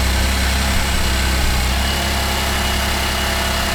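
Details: 2008 Cadillac CTS, GM 3.6L GDI, after timing chain replacement and reassembly: deep, steady idle with an even, smooth beat and no popping or misses. Normal idle.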